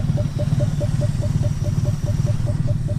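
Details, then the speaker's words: Mazda B2200/B2000 pickup engine stumbling at rough idle after first start in 20 years, fresh oil change, smoking; regular tick about twice a second over low uneven rumble; owner suspects it is running out of fuel, only a couple liters added. "i think she's running out of fuel though i only put maybe a couple liters in it yeah i'll put a couple liters in it so might be running out of fuel"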